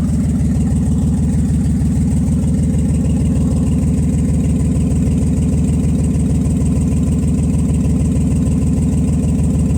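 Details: Nissan Z31 on first start after rebuilding injectors, fuel rail and pressure regulator hoses, with exhaust leaks: steady low thump about three times a second and puffing exhaust pulses; misfire persists, cause unknown, injectors confirmed working.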